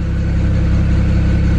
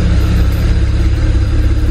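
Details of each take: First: 2008 BMW 335i N54 twin-turbo inline-six heard at the rear: deep, even exhaust burble at steady idle with no misses, stumbles or hunting and no smoke; idling nice and smooth. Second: 2008 BMW 335i N54 twin-turbo inline-six heard at the rear: lumpy, choppy idle pulsing about three times a second, smoky and super rich. Failed bank 2 sensor 1 oxygen sensor is causing misfires without a check engine light.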